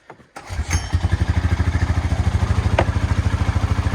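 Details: ATV/tractor after rewiring power to the solenoid, started warm so the module skips the automatic choke: cranks, catches within half a second and settles into an even, steady low thump about three beats a second. Normal start and idle.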